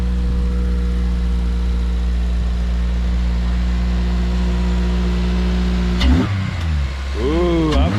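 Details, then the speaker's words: Honda K20, first cold start: steady even idle then two quick clean blips rising and falling smoothly with no knocks or rattles; motor sounds healthy, normal revving. "sounds good motor sounds healthy nice dude this was a good buy man"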